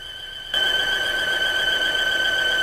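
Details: 2016 Volvo XC60 T5 at idle: steady high-pitched squeal from the front of the engine, constant pitch; mechanic suspects a cause after lifting it, source not yet confirmed.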